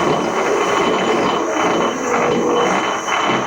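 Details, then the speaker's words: Precision Mathews PM-1030V lathe, about four years old, run at low speed: steady low gear rumble with a higher-pitched tinny rattle over it, chuck ruled out; loose external change gear, fixed and gears greased. "You should hear the kind of regular low rumbling of the gears turning and meshing and all that, but on top of that, there's this more high-pitched rattly sound."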